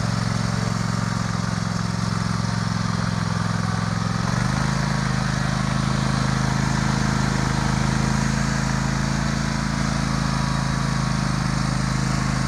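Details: Warm Sears Craftsman DGS 6000 garden tractor rider mower (54-inch deck, snow plow blade), no choke needed: steady, even single-cylinder drone with one small step in speed, no misses or knocks.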